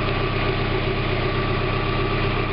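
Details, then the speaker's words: 1991 Mazda Miata MX-5 after catalytic converter replacement, just started, not yet warmed up: steady, even idle with smooth low rumble, no puffing or ticking; no leaks around any exhaust flanges. "no leaks around any of the flanges right now, so that's good."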